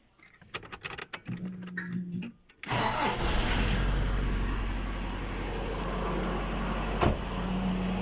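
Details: Engine cranks and catches, then settles into an idle with a faint, fairly regular knock riding over it; engine knock, cause unclear.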